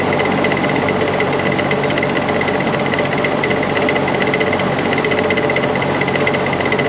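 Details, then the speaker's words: Air King 9218 window fan on high speed; loud, steady clattering buzz with heavy vibration throughout, caused by an imperfect motor rotor, not the felt washers or bearing, which are in good shape. "so you can hear all that racket coming from the motor it's it's not being caused by the washers or anything like that"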